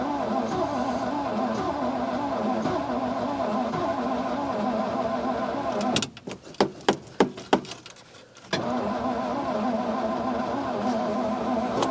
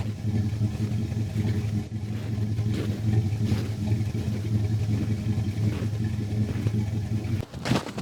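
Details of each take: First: Old carbureted car on a cold morning around -2, choke shut, in neutral: starter cranks evenly about three beats a second with no firing, stops, cranks again; crank no-start, fuel not being picked up from tank despite fill. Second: Old carbureted car cold-started in negative temperatures after sitting 3–4 months, with an occasional misfire that needs carburetor work; it now idles with a steady, even, smooth low rumble while warming up.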